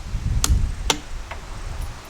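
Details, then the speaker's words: 55HP Chrysler Magnapower outboard, key turned: sharp single starter-solenoid clicks about half a second apart with no cranking; neutral interlock open because the shifter was in gear, not neutral. "The starter solenoid is making a very big, loud, large clicking noise, and I don't know why."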